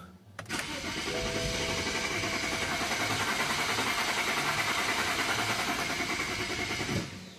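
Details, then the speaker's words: 2010 BMW 135i, N54 engine with MSD81 DME, battery charged for hours, immobilizer/CAS bus faults stored after another shop replaced oil lines: even, steady cranking about three turns a second for six seconds, never catching; crank no start. "So it's got a nice steady crank."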